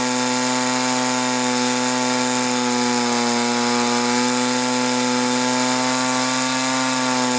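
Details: 1983 Echo PB400E two-stroke blower, carburetor never adjusted, fuel filter likely original, warmed up then full throttle: high scream sagging mid-run then climbing back; bogging and surging, cause suspected but not confirmed.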